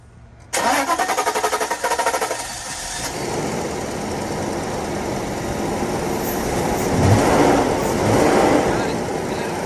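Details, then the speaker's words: 1997 Mercedes S420 (W140) that sat for years, with fuel added to the throttle body after fuel delivery was confirmed. About two and a half seconds of steady cranking, then it catches and runs rough and rising; a hard start after long storage. "All right, so we'll go ahead and put a little bit of fuel into the throttle body, see if it kick starts it, and then hopefully enough fuel goes to it to keep it running."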